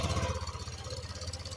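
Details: Honda Vario 150 LED scooter after installing plug-and-play alarm, no error codes: small single ticks over at a steady idle with even soft pulses, no knocks or misses; normal idle.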